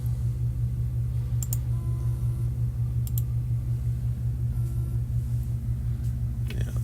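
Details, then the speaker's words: Seagate 500 GB hard drive from HP desktop, not detected, powered in external dock: loud constant low buzz, no spin-up or seek clicks, drive won't mount. Stuck head on platter suspected. "you're going to hear a sound which in my experience this sounds like the head stuck so we're going to wind up opening up and finding out but I'm going to put that see if you can hear this it's like a buzzing sound and then of course it's not going to come"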